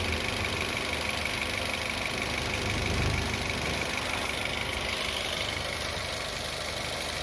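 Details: Car engine idling with a thin, constant high whir over the idle and no knock; worn water pump bearing, which can go on to fail the internal seal and drip coolant from the pump's centre.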